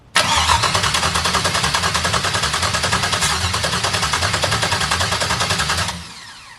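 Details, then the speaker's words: Audi TT MK1 with an LS swap (PCM believed from a 2004 Tahoe) on a standalone harness, first start attempt cranked via a test light on the starter solenoid with no fuel pump connected. An even starter chug at about 200 a minute with no firing: cranks but no start, no fuel supply. "I put this light here on the St of solenoid just to let it turn right now I have no fuel pump hooked up right"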